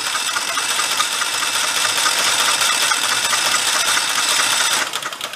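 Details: Rebuilt Kohler Command 20 hp engine cranked with the oil pressure switch removed to check oil pump flow and fill the filter: steady, even whirring with slightly uneven chatter and no firing; good oil flow seen.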